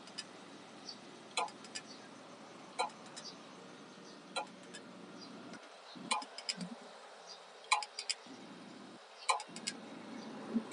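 Sharp, light clicks about every one and a half seconds over a quiet hiss: a hard drive clicking repeatedly, cause unclear.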